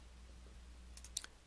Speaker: as you rotate the ring gear you'll hear a clunking sound that is made between the ring gear and the drive pinion it's that clunking sound that tells you that you still have backlash that needs to be taken out with the flange T adjuster